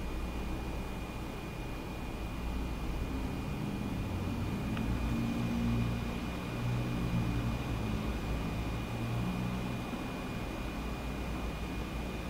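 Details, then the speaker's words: Cintiq Companion 2 under OS X running Cinebench: steady airy hiss with thin high whine; cooling fan at full speed, loud, dropping to quieter levels after the test. "now it's kicked up to high gear so you can probably hear it pretty loud"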